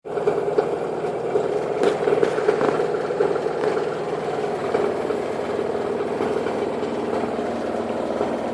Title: Washer and dryer noise when it is spin!